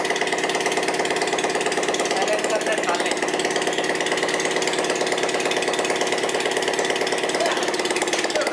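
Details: Bajaj Platina single-cylinder idling with the silencer removed during an engine repair: a loud open-pipe beat, fairly even, with an odd extra mechanical clatter; a strange engine sound.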